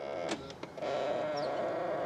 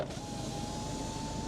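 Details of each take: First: 16-year-old diesel Ford Fiesta, power folding door mirror operating: steady buzzy mid-pitched whine for about two seconds as it folds, louder than it should be; noisy mirror motor, owner thinks it needs greasing. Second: 16-year-old diesel Ford Fiesta, passenger-side power window running: smooth, even motor hum at steady pitch through the whole travel, no binding or clicking; window works normally.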